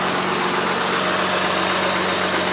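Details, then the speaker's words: Honda Pilot after replacing a failed fuel injector with an OEM part: smooth, even idle with a steady low drone and no stumbles or misses; sounds healthy, only a couple of misfire counts after the repair. "it sounds great so smooth back here"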